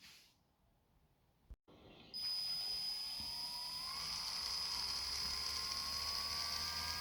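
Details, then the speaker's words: Toy RC tank gearbox after reseating the motor with a paper-shim gap for proper gear clearance (grease alone had only partly helped): steady high electric motor whine only, with no grinding or squeaking. The gear mesh now runs quiet. "Wow, that's a big improvement. You can't even hear the gears anymore. The only thing you heard was the electric motor itself."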